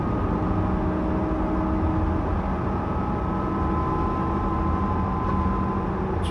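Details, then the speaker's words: 2011 GMC van with 134,000 miles, driving: a clear, steady whine above road noise that comes on only under throttle and is worst around 50-60 mph. Rear differential whine. "the faster you go like up around like 50 60 it's the most horrendous noise i've ever heard"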